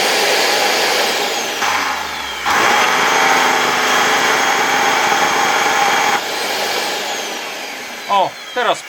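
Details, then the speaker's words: Old motor removed from LG V-3340D vacuum cleaner, bench-run on raised voltage after becoming loud: screaming high-speed roar with rough, gritty, uneven edge; owner suspects an already damaged bearing, not confirmed. "I admit I'm not sure if it could be the bearing, which I think is already damaged."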